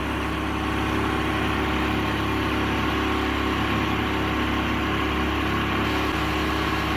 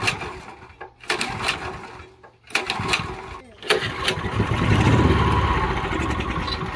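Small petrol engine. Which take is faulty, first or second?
second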